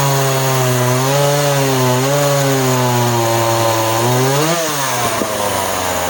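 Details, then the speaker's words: Project chainsaw cutting with a chain that may need sharpening: a steady howl through the cut, then revs flare and pitch climbs sharply at the end; sounds slightly lean, carburetor likely needs going through, not confirmed. "I'm sure the chain could probably do with a sharpen, and you can hear just at the end she sounds like she's just leaning out slightly, doesn't she?"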